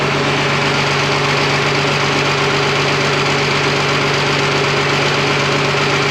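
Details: Freshly rebuilt twin-turbo Fummins diesel on first start, injection pump timing just set, no coolant, fuel leak present: steady idle with constant low hum and light regular clatter, no knocks or misses; sounds super healthy.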